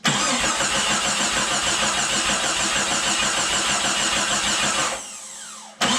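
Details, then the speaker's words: Remanufactured 4.0 engine just installed in a Jeep Cherokee XJ, dry-cranked with the coil pack unplugged to build oil pressure, fast even starter churn with no firing; cranking normally, exhaust not yet bolted up. "All right, so got it dry started, built some oil pressure."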